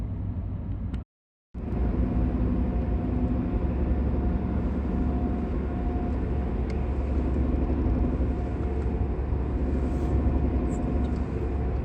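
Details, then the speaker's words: Mercedes W203 worn right rear wheel bearing: steady low droning hum at about 100 km/h on a straight road, slightly quieter when steering right and louder when straightening out. "когда вправо поворачиваешь значит он тише когда вправо поворачиваешь Он немного Тише затихает"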